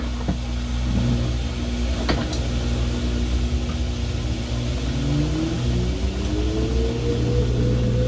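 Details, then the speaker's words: LG washer after an earlier repeated fault: motor hum climbs smoothly in pitch as the drum winds up to spin speed, no grinding or knocking; normal spin ramp-up, cause of the earlier fault unknown. "all right we're up the speed like you should be now"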